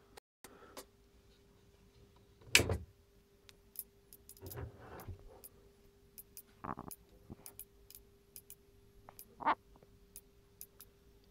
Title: PSU Makes strange crackling sound? =(